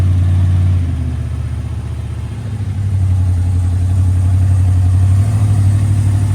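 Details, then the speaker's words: Engine in a $5000 Lamborghini-style kit car, said to sound better than the V10, idling after earlier starter or connection trouble: deep, even V8 burble that sags briefly, then picks back up and holds steady; healthy idle. "make sure the the connections are good [Music] [Music] sounds better than the v10"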